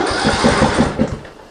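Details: Greenfield ride-on mower cranking quickly and evenly for over a second but never firing, choke on, oil light goes out so oil pressure is fine; no spark.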